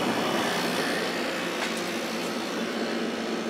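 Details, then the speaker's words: Kenmore 8000 BTU window air conditioner, no thermostat, single speed, compressor running continuously drawing about 5.3-5.7 A, 567-629 W: even unbroken air rush over a steady compressor hum, no surging or rattles; normal running. "nice thing about this one is I don't have to worry about the compressor shutting off cuz there's no thermostat"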